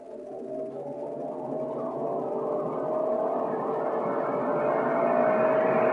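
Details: PC with a Ryzen R7 1700 overclocked to 3.9 GHz at 1.325 V under CPU load, cooled by a Deepcool Gammaxx 400 with dual fans (CPU max 62C). Smooth airy whoosh that climbs in pitch and volume as the fans ramp up. Normal fan noise under load.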